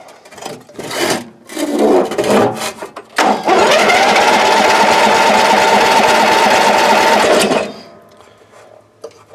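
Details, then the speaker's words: Old Ariens, sat in shed a couple of years, battery jumped, choke on, carb spray into intake with filter off: starter whirs steadily about four seconds without firing; cranks but won't start, owner suspects bad old fuel. "let's see if you can do wonders with this apparently it cannot"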